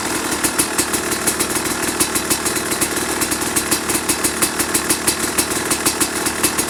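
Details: 2005 Kawasaki KX250 two-stroke, first fire-up after rebuild for low compression (piston shot, plating questionable, crank play): crisp even idle popping about five times a second with clean blips; runs healthy.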